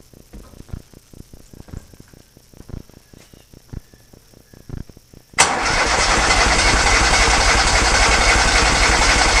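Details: Kohler Command engine in a Cub Cadet garden pulling tractor, first test fire after new fuel lines and a primed electric fuel pump: a few light clicks, then it catches and settles into a strong, even, steady run with no misses.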